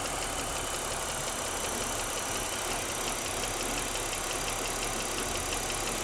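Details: BMW 323i at idle after full cylinder head rebuild and machining (valve job): light quick metallic valvetrain-type ticking in a steady beat from the engine top end, louder than before the rebuild; cause not pinned down.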